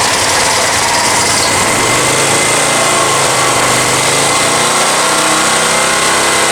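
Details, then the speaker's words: Honda EX1000 generator after carb cleaning, choke off, powering a fan: steady high buzzy drone, revs dropping under the electrical load; runs only at half throttle, cause unknown. "It really drops the idle as I tone this down."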